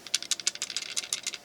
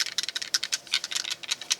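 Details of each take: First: Ruger BX-25 25-round magazine for the 10/22 rifle, shaken after the jam fix (a .22 casing added to take up follower slop): light metallic rattle in quick bursts, about six per second; slight rattle left is normal and needed for the mechanism. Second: Empty Ruger BX-25 magazine for 10/22 rifle being shaken: quick, uneven light clicks and rattles from a loose, sloppy follower inside, which causes occasional jams.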